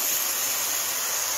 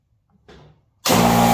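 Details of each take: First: I purposely left this open right here, so you can see how the air comes out. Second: But anyways, I'm going to turn her on, and I'm going to let you hear what it sounds like when it goes on.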